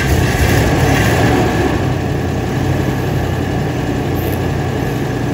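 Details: Cadillac with earlier starter problems, just fitted with a new top-mount battery via a side-post adapter, starts with a strong, even idle rumble that settles right away, no clicking or stumbling; normal start and idle.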